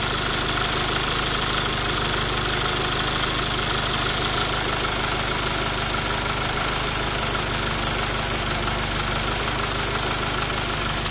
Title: bruit moteur